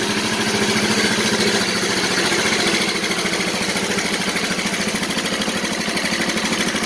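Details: Yamaha Mio Soul scooter, engine reported very noisy: loud, rattly, clattery idle with an uneven pulse of about three and a half beats a second; worn valve train and piston.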